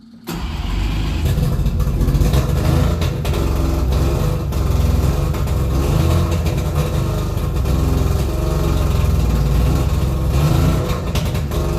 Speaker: Oh, it's not going to run. It's smoky, but it sounds a lot better. That's kind of got a good sound. I'm liking that.